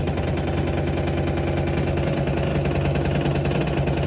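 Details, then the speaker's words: Dishwasher circulation pump making a loud, steady low hum with a fast rattling pulse that never settles; paper foreign object caught in the pump, which also scraped near the heater and coincided with a short tripping the breaker. "With these samples here on the machine, the issue is with the circulation pump. Apparently, a foreign object somehow got into the circulation pump."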